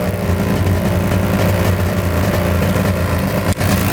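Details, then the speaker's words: 1998 Polaris XCR 600 three-cylinder two-stroke snowmobile, run hard in snow: a low, flat drone under held throttle around 3,000 rpm that won't climb or clear out. The engine is bogging, with no engine light on. "it's definitely boggy this thing should be flying no engine light or anything coming on"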